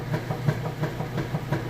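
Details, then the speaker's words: Whirlpool top-load washer filled with water, agitating: steady low hum with regular soft knocks about five a second; the agitator spins freely one way then kicks back the other, a normal sound. "If you hear that kick or knock sound, you're supposed to hear that sound, and I get that question a lot."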